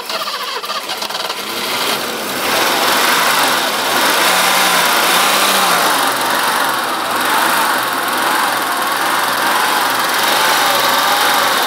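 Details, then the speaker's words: 80s BMW 628 CSi E24 manual coupe, parked since 2001, running on its own old fuel with air cleaner refitted: starts and settles into steady, even idle with no knocks or misses; runs well. "sounds good wow on its own field all right good result"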